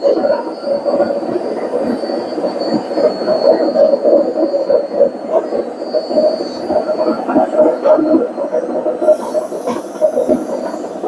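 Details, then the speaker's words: Vestel/Seg/Regal/Finlux washing machine in test mode during a high spin: loud, rough, train-like rumble from a faulty drum bearing. "ilk önce arkadaşlar yüksek bir sıkma yapacak bu makinemiz bayağı ses yaptı bilyesinde arıza var Eee Bu bilye hatalı makinede sizlere video çekiyoruz şu an bilye ses yapıyor"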